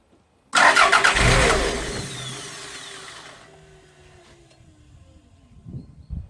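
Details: 1992 Toyota MR2 parked six months, usually starting but stalling soon after: brief crank catches into a rev, then winds down and dies within seconds; fuel pump terminal reads zero volts with ignition on.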